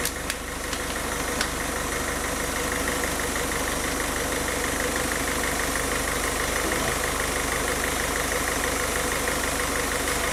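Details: Diesel car engine after a rough-idle fix for RPM rising and falling at idle, with the fuel system bled of air: steady, even clatter of about three beats a second, no hunting or surging; settled idle.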